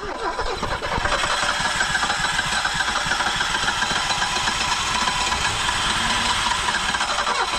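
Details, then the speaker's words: 1974 BMW 2002 after 30+ years sitting, now with fresh 93-octane fuel: the engine catches and runs raggedly with a raspy, busy roar, barely holding on and blowing rust out the exhaust. "got to Pump It Up she wants to go she wants to go blowing rust out the [Music] exhaust"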